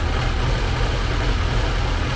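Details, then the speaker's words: 1979 Porsche 924 fuel-injected engine idling after air-flow meter hoses were properly hooked up: fairly smooth steady idle, no hunting; still won't accelerate but sounds right. "i still haven't got it so that it'll accelerate but at least it's running fairly smooth there now and sounds right"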